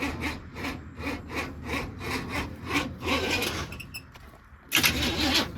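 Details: Carbureted project vehicle, cold, distributor just installed, possibly fuel at carburetor, timing too advanced: steady starter churn about three turns a second with uneven puffs but no sustained firing; cranks without starting.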